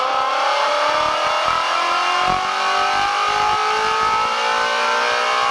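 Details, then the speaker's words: Track car after a winter refresh that included cam phaser and water pump fixes, warm, oil pressure about 110 psi, pulling hard at speed: a crisp, clean engine note climbs steadily in pitch with no knocks or misses. Normal under load. "she sounds good let's start to play with it a little bit and see how it responds"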